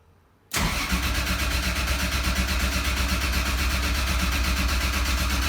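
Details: Nissan 240SX with 2JZ swap on AEM Infinity ECU, first startup attempt after the fuel pump was primed: starter spins the engine with a quick even chuffing rhythm for five seconds but it never fires; cranks, no start.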